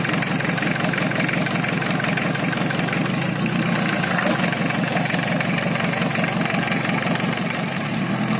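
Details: Engine running without all its components installed idles with a loose, fast clattering 'kemeletek' rattle, about three beats a second, over a rough hum. Abnormal noise from the incomplete assembly.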